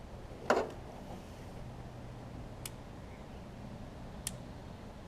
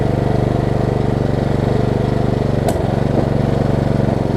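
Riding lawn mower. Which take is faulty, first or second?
first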